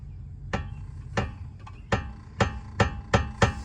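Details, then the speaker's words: 2005 Mercedes S500 4matic W220 with front clunking over bumps; under the car, levering the front suspension gives sharp, loose metallic clunks, about seven in four seconds, traced to a worn lower ball joint on the lower control arm. "You hear that? That's exactly what I hear. Now, what is that? Now, let's look at this up close. Now, it appears to me that it's the lower ball joint on the lower control arm."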